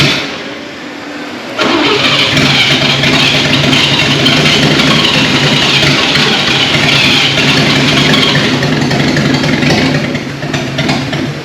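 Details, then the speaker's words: 1939 GMC COE 4x4 six-cylinder started for the first time in 60 years: runs roughly and sputters, firing on only two to four of six cylinders; there is fuel and spark, but a timing issue is suspected. "all right so at this point you can hear the truck is sputtering it's hitting on three four two cylinders out of the six"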